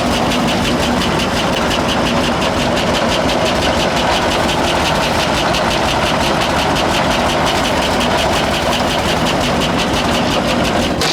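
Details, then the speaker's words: 1966 International ACCO truck petrol V8, 2-barrel Holley carburettor not tuned well, relying on the throttle pump after a suspected flooded start: loud, uneven, lumpy idle that never settles; rough idle from a poorly tuned carburettor. "Really got to rely on that throttle pump to keep it going. Like, it's not tuned real well, but it's got a 2-barrel Holley on it."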